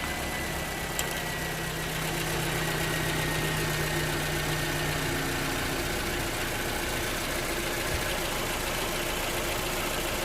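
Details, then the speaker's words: Toyota RAV4 after alternator and belt replacement, idling: steady, even hum with no squeal or belt chirp; meter reads 13.6 V, so the alternator is charging. "i have my lead on how my meter on positive negative and i have 13.6 which is good so the alternator is actually charging"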